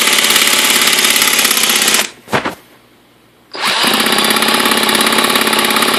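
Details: Redcat Racing VX 16 nitro RC engine that sat for years, with a new glow plug, igniter, fuel line, gasket, coupler and air filter, a cleaned carb, good compression, and priming: a high buzzing crank, a pause, more cranking. It cranks but never starts; needle settings are unknown.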